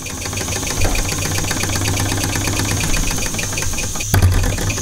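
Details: Quick, even chuffing at a steady speed over a constant background hiss from a small model steam engine that had not run in about 20 years: it is running smoothly.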